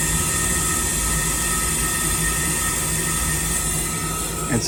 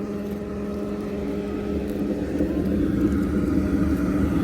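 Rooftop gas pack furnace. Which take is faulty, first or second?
first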